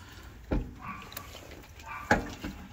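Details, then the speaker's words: Certified pre-owned Harley rolled slowly forward and backward with the front brake applied: two sharp hollow clunks instead of quiet decompression; owner unsure whether steering head bearing, forks or brakes are at fault. "I'm going roll forward I'm going hit the front brake you can hear it instead of just the just decompressing and everything being quiet it's a lot of clunking going"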